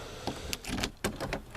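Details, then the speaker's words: Worn laser-cut-key door lock cylinder on a Volvo 7/9-series, the last one still working before being swapped for 740 locks: sharp pops and clicks with uneven hang-ups as the key turns, so the lock cylinder is binding. "I've got got one left that actually functions and that's this one and it kind of hangs up you can hear it popping when you turn it"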